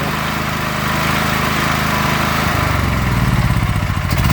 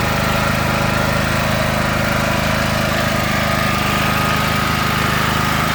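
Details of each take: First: Predator 8750 W generator with a Nash tri-fuel kit on propane: steady drone turns lumpy and uneven halfway through, the beat pulsing, as the idle block is screwed in too far. Rough running from a misadjusted propane idle adjustment. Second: Predator 8750 W inverter generator with a Nash tri-fuel kit, gasoline drained: even, constant drone with a steady low rhythm and no misses or hunting. Running cleanly.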